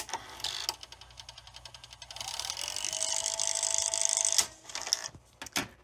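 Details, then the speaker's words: 1991 Zenith VRG-75 VCR refusing to rewind certain tapes: reels whir with uneven light clicking three or four times a second, first blamed on the pulley clutch; actually a stuck idler gear not dropping and meshing. "so if I hit rewind this is spinning but you can hear the clutches kind of clicking in"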